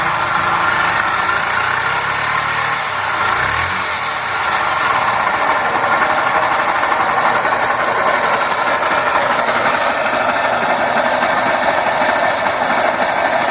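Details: Honda Fan 125 at steady idle with busy metallic rattle, something loose inside engine; mechanic calls for cylinder, piston and full top-end rebuild, owner suspects oil pump or clutch; source unconfirmed.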